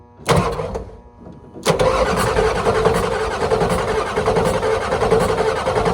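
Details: 1991 Ford F350 with International IDI diesel, after replacing leaking injector return lines: starter turns it over slowly and steadily with no firing, long crank from air left in the injection lines.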